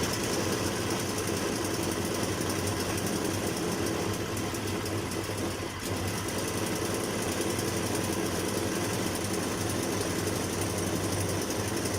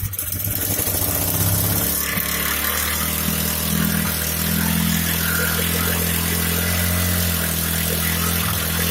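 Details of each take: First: Here I'm repairing a Hyundai portable generator which is making a sharp metallic sound from the inside. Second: Hyundai portable generator after repair for a sharp metallic sound from inside: the engine catches and settles into a steady, even drone with no metallic rattle. It is running smoothly.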